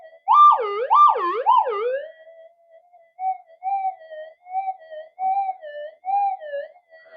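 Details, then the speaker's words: Upgraded older Minelab GP Extreme detector with a standard double-D coil over a test target, speaker toward the microphone: three strong warbling rising-falling tones, then steady hum with small blips and some interference drift; working really well, possibly in deep mode. "so it's working really well. I don't even know I've got that in deep mode."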